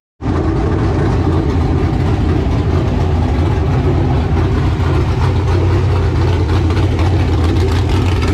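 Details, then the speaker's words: LQ9 V8 with Texas Speed MS4 cam on run stand, Holley Terminator X base tune, now with single-chamber Flowmaster mufflers instead of open headers: deep even steady idle, no ticks, knocks or misfires. "it does sound really good open header but it is very loud"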